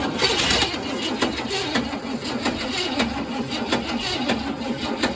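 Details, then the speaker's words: 1966 Cadillac Deville, long-stored, first start attempt after new plugs and wires, fuel poured in, started via power probe: starter cranks about twice a second, engine almost catches but won't run, fuel-starved; starter then locked up. "All right, hold up. We'll give it just a dab more fuel. It tried to go there, so."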